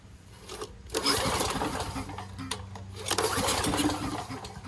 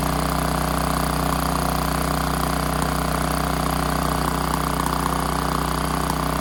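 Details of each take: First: Generator engine after choke and governed-idle adjustment: two recoil pulls turn it over briskly but it never fires; the on/off switch was left off. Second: Generator engine after tightening the choke and adjusting governed idle, aiming for about 61.5 Hz: holds a fast, perfectly even speed with a steady hum and no hunting or misses; governor set right.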